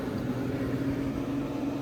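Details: 1970 Gibson Air Sweep window air conditioner, grille on, fan-only mode at medium speed: a steady, even whoosh with a low constant hum, no rattles or knocks; fan running smoothly.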